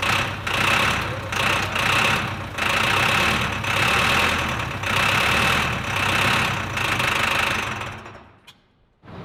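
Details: Old diesel engine not run for a while, fresh fuel in tank: steady cranking at nearly three compression pulses a second but no start; suspected fuel not reaching the injection pump, possibly air or a fuel shut-off problem.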